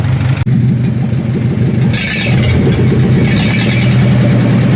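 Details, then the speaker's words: 1944 Ford 2N tractor running on a small drop tank with no muffler fitted picks up after a sharp start, then settles to a steady, even low rumble with no misfires. It runs nicely; normal running. "Man, this thing runs so nice. I don't even have a muffler on it. I do have a muffler for it though."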